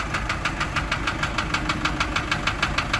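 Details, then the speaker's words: Isuzu light diesel truck at idle, rough, with steady light ticking about three times a second. Continuous from startup for about a month; the engine block is seeping oil. Engine ticking, source unknown. "ما بندور السياره بنسمع الصوت ده، والصوت بيستمر على طول ما بيقطعش."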